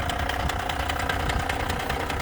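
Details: Ford Mondeo 3 diesel at idle: loose repeating knock over the idle, sounds change when the clutch pedal is pressed or released, worn dual-mass flywheel needing replacement.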